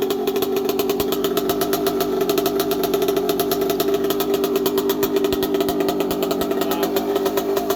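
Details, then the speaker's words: 1982 Yamaha YZ80J two-stroke idling after carb clean, air filter clean and fresh fuel, gearbox oil topped up, no coolant (split hoses); fast even buzzing beat, motor not rattly apart from a few rattles from loose parts needing tightening; normal idle. "Sounds pretty good. The motor doesn't sound rattly at all. It's got a few engine rattles cuz it's all loose and needs to be all tightened up."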